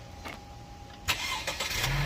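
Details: Chevy Malibu with a dead battery, jump-started with a Noco GB150 jump box: short crank, then it catches and settles into a steady idle. Normal start; alternator then read good at about 13.8–14 V.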